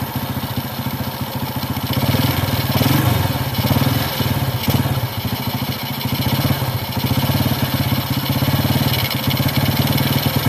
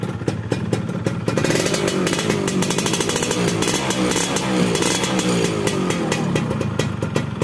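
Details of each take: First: Carbureted motorcycle (Honda Grand, Yamaha F1ZR or Honda C70) with the air screw set slightly too rich while warming up: steady single-cylinder idle with a heavy, lazy beat. Starts instantly in the morning. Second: Carburetted two-stroke motorcycle (Yamaha F1ZR) with its air screw set standard/"wet" rather than lean: crisp, even idle with steady rapid popping and no hunting or misses. Normal idle with the mixture set right, since too lean makes it hard to start in the morning.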